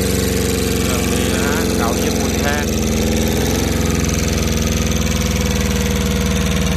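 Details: Old Japanese Yanmar two-cylinder 9.5 hp fan-cooled diesel adapted for farm use: clatters into a steady, even idle with a regular firing beat and no misses or knocks.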